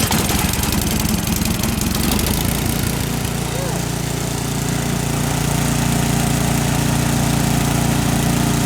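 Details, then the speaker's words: Ariens Deluxe 28-inch snow blower, gravity-fed, run with fuel cutoff switch off to empty the carburetor before storage: small engine stumbles and surges unevenly, then holds a rough idle as the carburetor runs low; fuel starvation. "hear it stutter a little? Yeah. What's that? It just means that the carburetor is going to get a little low. It's going to run rough."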